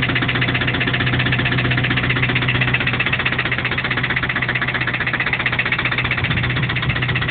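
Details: Toyota 22RE engine at idle: sharp regular knock about four times a second; owner unsure whether it comes from the rocker assembly or deeper in the block.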